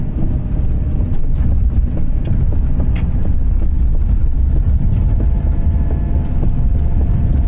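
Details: 1993 Subaru Impreza wagon, EJ18 1.8L SOHC, manual, AWD, warm engine after ~5 miles at 55 mph, decelerating from 35 to 20 mph: irregular sharp pops and clicks seeming to come from the middle of the dash over road rumble; cause unknown.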